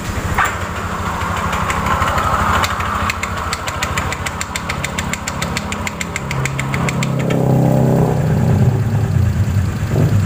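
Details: Honda Vario scooter CVT at idle: a loose, irregular clatter of about three knocks a second from the rear transmission, caused by a damaged drive belt and a failed rear pulley bearing due to a worn roller housing. Worn CVT belt and pulley bearing.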